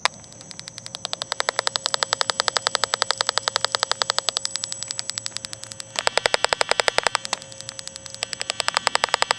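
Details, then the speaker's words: 2006 Ford F250 backup sensor, key on, engine off, in reverse, heard through an inductance wand: crisp, steady ticking that changes when the sensor is covered. The sensor is working normally. "So you hear that? As I cover it up. So that sensor's working fine."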